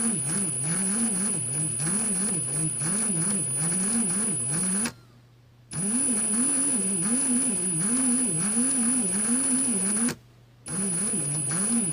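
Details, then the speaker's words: Ryobi R18PD7 brushless cordless drill, dated 2017, at light/low trigger: wavering, straining hum with a noisy gearbox, cutting out abruptly twice as if overloading; trigger must be released to reset. Intermittent motor cut-out. "Yeah, it's cut out right now. So I've got my trigger fully pulled in and it cut out. And if I let it go and pull it again, it'll go."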